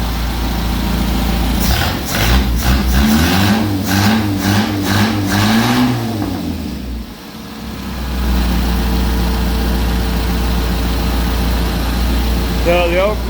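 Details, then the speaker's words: 1980 Ford MK1 XR2 1.6 L four-cylinder, rebuilt 2-barrel Weber carb, after fixing a vacuum line that fell off under the intake: blips up and drops back to steady idle without stumbling or hunting; normal running and revving. "So now she's running good."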